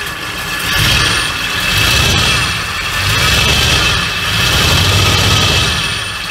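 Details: 1975 Ford Ranchero after replacing the starter relay and fitting a replacement starter motor. It starts easily and settles into a steady, even idle with no misses or knocks, though the owner says idle should be slightly higher: normal idle.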